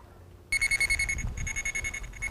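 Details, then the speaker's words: Armada Pro300 locator receiver tracing a buried sprinkler wire driven by the 2 kHz transmitter: sharp pulsed beeps that fade in places. There is a null directly over the cable, with more sound to the left and right. "you're over the cable, you can hear that null signal. I get more sound to the left, then more sound to the right."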